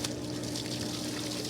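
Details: House sewer line test: water pours continuously with a steady rushing splash from an open, uncapped outdoor cleanout as shower and bathroom sink drain through it; toilet does not.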